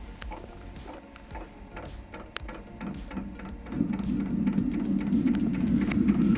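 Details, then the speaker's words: Eberspacher Espar D2 diesel heater, fuel connected: fan spins up, light regular fuel-pump ticks about three a second, then a low hum swells as the burner lights; normal start-up. "so the heater is starting [Music] the heater is working okay"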